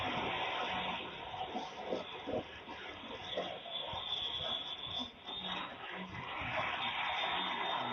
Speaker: This is, if you can listen to the audio, you can hear the hissing and popping of an EV when it's about to go into off gassing.